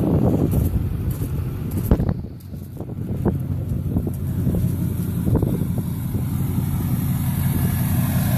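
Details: 2004 LLY Duramax diesel V8 with PCV reroute, 3-inch downpipe and 5-inch exhaust, which was smoking white at idle, running ACDelco injector cleaner mixed with diesel from a jug: steady even idle clatter, no misses, smoother normal idle.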